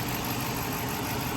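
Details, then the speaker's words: 2009 Dodge Charger R/T 5.7 Hemi V8 after replacing water pump, thermostat and coolant temperature sensor, warming up to bleed coolant: smooth, even, steady rumble with no knocks or misses; normal idle, no leaks at thermostat. "We have no leaks, except for right there, of course. But other than that, we ain't leaking out. Not leaking in the thermostat."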